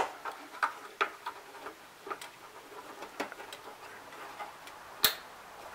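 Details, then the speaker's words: 2008-2012 Ford Escape liftgate latch/door lock actuator, newly replaced (three bolts) and plugged back in, clicking sharply a few times in a quiet space as it cycles; normal actuator operation before the liftgate is closed and tested. "hear the click and that's it now bring it down and we are going to test it"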